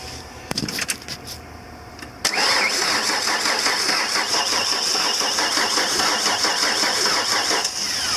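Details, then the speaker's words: 1993 Ford E250 Econoline van cranking steadily at about three turns a second without firing; spark confirmed, so a fuel delivery problem is suspected, possibly the fuel pump, not confirmed. "we're getting spark okay so that brings us down to just one thing fuel"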